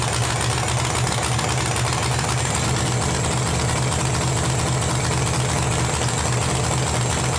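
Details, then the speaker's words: LS-swapped Chevy S-10 burnout truck, first start-up, 30 psi fuel pressure: very loud, choppy V8 idle through open headers, steady with no knock; normal idle, though small leaks and no coolant flow noted. "all righty so first fire up pretty crazy sounds pretty good but we have a little leak in the back little leak up here"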